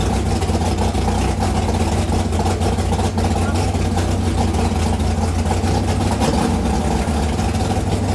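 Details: Chevy Nova V8 after the distributor was set at TDC on cylinder 1, with coolant and oil added and before timing-light adjustment: it catches and settles into a steady, even idle with a deep, unbroken burble and no misses or knocks. Healthy.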